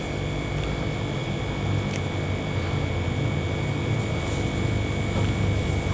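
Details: Maspion showcase refrigerator with newly fitted compressor, compression checked via open return pipe for about fifty seconds: steady low hum with constant whistle and airy rush, no knocking; compressor pumping well.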